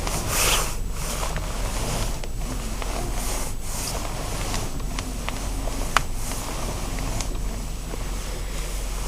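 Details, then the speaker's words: Nissan X-Trail steering shaft after its seal was relubricated: turning the wheel gives only a faint soft rubbing with a low hum, no squeak, and nothing is heard while driving. "но какой-то звук там все равно есть это видимо все равно работает механизм но такого живое конкретного как был нету гораздо тише и во время езды вообще его не слышно"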